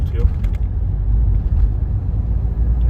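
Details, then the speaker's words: 2015 Renault Megane 3/Fluence 1.5 dCi diesel coasting off throttle and braking after the fuel return hose was replaced with a softer one: steady low rumble with no hum or drone on top; healthy. "Ses tamamen kesildi frene basıyorum Şu an hiç bir ult yok Biraz da gaz veriyorum şimdi gene ses yok"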